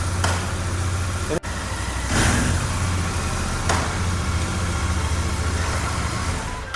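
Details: Motorcycle idling after an early-morning start: steady low thrum, then a single dull clunk as first gear goes in. This is normal gearbox engagement, and it is reduced if the gear is engaged while the rear wheel is turning.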